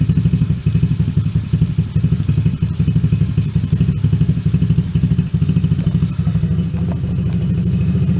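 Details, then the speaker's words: Coolster 110cc Chinese ATV just fitted with a new replacement carburetor, started on a little choke: single-cylinder thumps fast and steady, about four pulses a second; idle set slightly high, turned down with idle screw. "Idle's a little high. Just crank it down a little bit if it stops moving."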